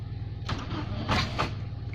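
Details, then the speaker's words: Nissan Bluebird, first start after head gasket and water pump replacement: starter churns in uneven bursts with weak puffs, never catches; ignition timing suspected off; cranks but no start. "H that doesn't sound like it's going to start well we keep on trying"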